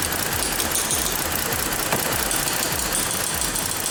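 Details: 2014 Ford Explorer 3.5L, P0019 bank 2 and random/cylinder 4 misfire codes, IDS reading 50, valve unplugged with no change: uneven, loping idle with irregular thumps three or four a second; rough running from a stuck bank 2 exhaust cam phaser.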